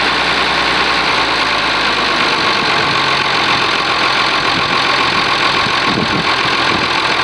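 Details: Oliver 1850 diesel tractor, cold engine after a genuine cold start at about 45 degrees: even, steady settled idle clatter with no misses or knocks. Normal diesel idle.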